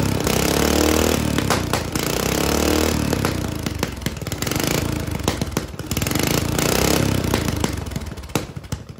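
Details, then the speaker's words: Lawn mower single-cylinder engine with governor, newly welded exhaust flange, run before turbo fitting: harsh, loud popping bark rising and falling with throttle. Loud open exhaust, no muffler. "now I just want to fire it up to get all the stuff out of that exhaust pipe that I can't reach in like that with my hand and we can see what it sounds like before Turbo"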